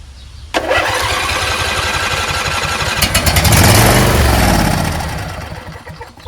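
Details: Husqvarna YTH20F42T lawn tractor repowered with a Briggs 21HP V-twin, first start after unknown storage: starter grinds, engine catches briefly, swells then sags away instead of idling.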